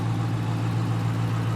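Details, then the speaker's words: 2019 Dodge Challenger with 5.7 L V8, about 70,000-75,000 miles: steady, even low idle rumble with no knocks or misses, running really well. "uh Grand Cherokee and it had the 5.7 L V8 it dropped its valve seals and it was a big pain in the you know what but this one seems to be running really well"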